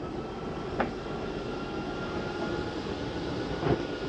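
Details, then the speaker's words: 2023 Jayfeather 30QB travel trailer slide-out extending via the J-Command panel: steady low drone with two brief knocks at the end, the noise that means the slide is fully out. This is normal extension. "Once you hear that noise, you know your slide's all the way out."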